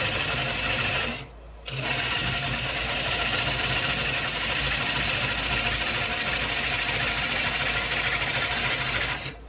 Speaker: the vibration would be less if that Tenon was bigger because I keep my tenons a little bit on the small side I get a little more vibration